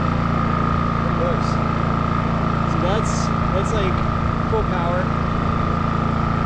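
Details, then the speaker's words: New WEN 56380i 3800-watt inverter generator on concrete, full power with eco mode off: smooth, even drone with steady pitch, no surging or knocks; healthy and settled. "get an idea of how um how loud it is on on concrete you know solid ground several points"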